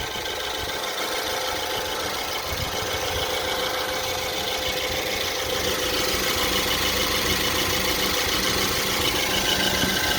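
Steady idle with a light, fairly regular tapping under the engine noise, roughly three beats a second: an intermittent knock, cause unclear.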